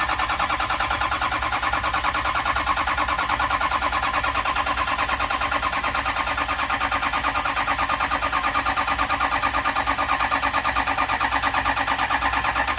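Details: 6.0 Powerstroke diesel with rebuilt engine, idling during high-pressure oil diagnosis: even diesel clatter at a steady idle rhythm, no miss or hunting; engine sounds healthy.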